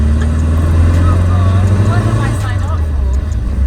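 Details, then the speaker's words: Air-cooled engine of a 50-year-old 1973 VW Bus pulling up a wet hill under load, steady low even thrum with tyre hiss; after repair work; engine running right. "the engine's working well there"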